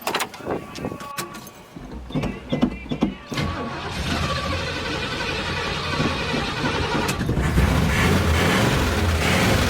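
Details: Normal cranking and start of a 1970 Oldsmobile 98 carbureted engine, not started in years, after starter replacement and topping up low oil: a few clicks, starter spins it over, engine catches and settles into a steady run that builds slightly.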